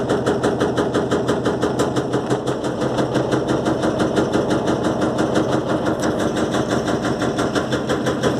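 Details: Electrolux LTE12 washing machine suspension test: rapid, fairly even knocking about three times a second over the spin hum, the drum banging on its suspension. Drum knocking during spin.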